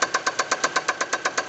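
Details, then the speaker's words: Chevrolet Celta 1.0, cylinder head redone but rod bearings not replaced: hard, evenly spaced knocks about seven a second over a smooth idle firing on all cylinders; connecting rod knock. "Só bateu biela, alguma biela deles bateu, entendeu? O funcionamento em si do motor, todos os cilindros estão queimando certinho."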